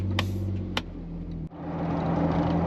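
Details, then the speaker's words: Jeep after ARB rear locker bonded seal replacement and used rear gear setup, driving around town at 40-45 mph: even road and engine rumble with no whine, howl or clunk. Driving smooth, though slight rear gear noise was noticed afterwards. "we're driving around town, 40, 45 mile an hour. No noise, everything's smooth. Jeep's driving great."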